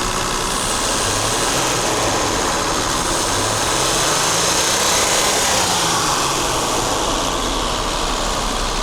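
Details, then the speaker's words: Mercedes W126 280SEL after its fuel distributor was rebuilt (torn cylinder 3 diaphragm replaced): a rev from about 1250 rpm lifts smoothly and returns cleanly with no stumble, so throttle response is normal. The engine mounts are worn and it burns oil. "我们来做一个，现在转速是1250，我们来做个提速。"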